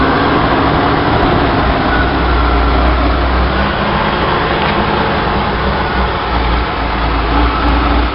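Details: 1966 Chevy Sportvan, stock 230 inline-six with HEI and a new Weber 32/36 two-barrel carb on the stock manifold, in neutral, camera at the carb: elevated, fairly even idle that never settles down; vacuum leak keeping the revs high.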